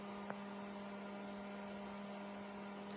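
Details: Stranger PBT 800 mono amplifier under repair: constant low buzzing hum at mains pitch with a few overtones, never changing; mains hum, cause not yet found.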